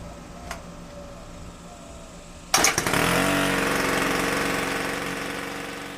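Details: Ryobi C430 30cc four-stroke trimmer after new fuel lines and primer bulb, primed 10 times: quiet, then the pull-start catches into a steady, even buzz that holds and settles slightly; fixed and running properly.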